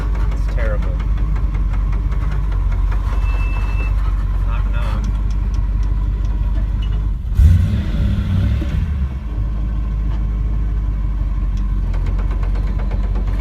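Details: Nissan S13 with 1UZ V8 swap, transmission failed during drifting with loud banging; driven through town: rough repeating clunk-and-grind from gearbox following road speed over low road rumble, suspected damaged gearbox internals, not confirmed.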